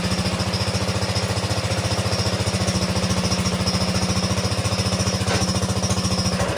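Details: 1960 Wheel Horse Suburban 400 garden tractor, Kohler single-cylinder, after restoration: even steady single-cylinder thump with no misses or knocks and a smooth exhaust beat; normal running.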